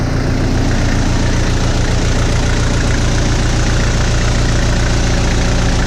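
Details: First start of B3000 truck after Cummins turbo diesel swap, jump-started: deep steady diesel clatter at idle, even low rumble, no misses or odd noises; healthy.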